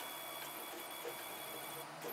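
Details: Protomaker 3D printer on a RAMPS board with a 12864 LCD, testing only the X carriage stepper with no hotend or endstops connected: soft whirring steps in short varied runs with faint pitched tones, moving smoothly without skipping.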